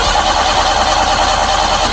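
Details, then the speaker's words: Suzuki Multicab that won't start, even with throttle pumped or choked: continuous steady cranking with no firing. "So ganyan lang siya. Crank lang siya ng crank kahit na ah bombahin mo dito."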